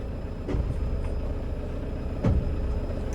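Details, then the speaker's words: 2007 Toyota Innova, 284,000 km, hard clutch; moving in gear, repeated heavy clunks from the rear over low road rumble, worse when releasing the accelerator; worn propeller shaft universal (star) joint clunk. "അതുമാത്രമല്ല, നമ്മൾ gear ഇട്ടിട്ട് move ചെയ്യുമ്പോൾ ബാക്കിൽ നിന്നൊരു കട്ട കട്ട കട്ട എന്നൊരു സൗണ്ട് വരുന്നുണ്ട്."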